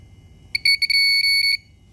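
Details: 1991 Kawasaki ZXR750, turbocharged and fuel-injected, being revived after years sitting: the test light gives a run of short, high, clean beeps merging into a steady tone for about a second, signalling voltage normally.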